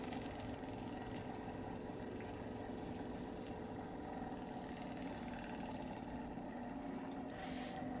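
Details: Xin Tester LED digital magnetic stirrer mixing green pigment into gray resin: faint steady mid-pitch motor hum at even speed with liquid swishing underneath; normal running.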